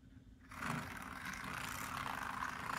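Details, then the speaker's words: Arbour Models kit locomotive chassis on test after filing wheel-flange clearance in frame: small motor whirs with a rough scraping rattle, no clean hum; poor electrical pickup suspected. "noisy I think there's a problem with the uh worm nope electrical pickup's not that good so I'll have to see what I can do about that"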